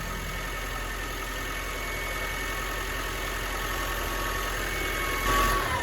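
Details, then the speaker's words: 2016 Mitsubishi MQ Triton Athlete diesel with a popped boost pipe, idling: thin high whistle over idle that sags as revs drop; whine heard at turbo, owner judges turbo cooked, first suspected a boost leak. "As you guys can hear, that's the turbo. The turbo is cooked. You can hear the wine coming from here."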